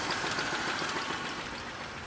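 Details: 2000 Chevrolet Monte Carlo, 138,919 miles, at idle: rapid, even tapping knock that stays steady; lower end sounds worn, owner plans engine swap, exact cause not confirmed.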